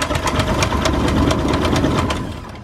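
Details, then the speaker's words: 2006 Zodiac 601XL plane that sat 8 years, cranking fast on a strong battery but never firing; fuel pressure reads zero and the owner suspects the fuel pumps or clogged lines. "Yeah, they're going fast. Battery's crazy. But what I'm seeing here is we're not getting any fuel pressure."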